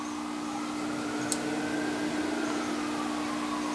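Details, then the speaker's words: 1931 Philco Model 50 Baby Grand AM radio at switch-on: only steady mains hum, no programme sound; wrong audio output tube fitted (needs a 27/UX227). "That's about all you hear is the humming noise. I don't know how well you can hear that, but now I don't have the right audio output tube in there anyways."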